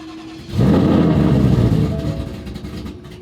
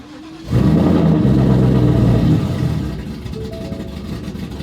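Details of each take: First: Roush, morning cold start, attempt two: a single crank catches in half a second and fires into a loud high idle that slowly settles; took several tries to start. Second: Roush-platform V8 with Jokers Performance throttle body and cowl hood, cold start at 55°F morning after several attempts: cranks, catches, flares briefly, settles to steady even idle; stock throttle body had stalled at stops.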